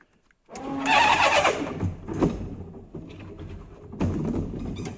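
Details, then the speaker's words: Volkswagen LT28 camper van wipers running: juddering, scraping sweeps every second or two; the wipers work but the worn blades chatter across the glass and need replacing. "Could do with some new wiper blades, as you can probably hear."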